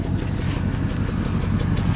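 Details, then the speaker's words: Engine with rough, lumpy idle, exhaust beat stumbling irregularly, misfire at idle; scanner suggested faulty O2 sensor or vacuum leak, no misfire codes on cylinders 1–8; smoke test for vacuum leak planned next. "I mean you can hear it see listen to the exhaust it didn't tell you that's she's not running"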